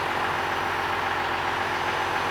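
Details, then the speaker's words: 12-valve Cummins diesel after governor spring adjustment, idling at 975 RPM: steady, even idle with no hunting or surging, no governor bounce, but slightly fast; high idle speed to be pulled down. "we're idling at 975 RPM so we got to pull that down a little bit using that"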